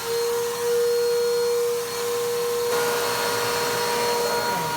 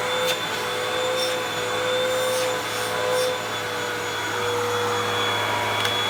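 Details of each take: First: 2017 Bissell PowerTrack Compact 1808 vacuum, 7.5 amp motor, first run after being found: dust blows out, loud steady roar with a fixed whine near 500 Hz, slightly uneven; motor sounds rough and needs servicing. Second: 2012 Hoover WindTunnel 2 Rewind UH70820 vacuum on first run: steady even motor whir, constant high pitch, no rattles or surging; smells bad but motor runs fine.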